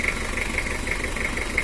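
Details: Toyota Kijang 2L diesel before overhaul, cold idle: a sharp, regular ticking knock over the diesel clatter, attributed to camshaft and valve clearance; the engine also burns oil heavily, has worn liners and blows smoke when hot.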